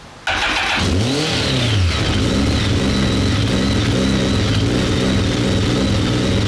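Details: BMW K1200 R motorcycle, pipes hot, fuel pressure 2.3 bar (low side), no current fault codes: fires up and revs with an uneven, stumbling beat; rough running misfire, cuts out, cause unclear.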